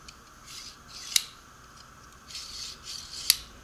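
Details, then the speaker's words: Newer (about 6 months old) six-inch Harbor Freight Pittsburgh digital caliper slide run open and closed: light, even sliding hiss with a small click at each end, no rubbing or catching; moves much smoother than the 3-4-year-old one. "it's not a precision Swiss watch but it is it moves much smoother than the old one"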